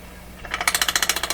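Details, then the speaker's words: Garrard 40 MkII record changer in a Canadian General Electric C701 console, after top maintenance: harsh, even clicking at about twelve per second through the change cycle; the kicker and catcher mechanism struggles past the high point. "so that is what i was telling you about the kicker and the catcher and all that stuff that's what you're hearing"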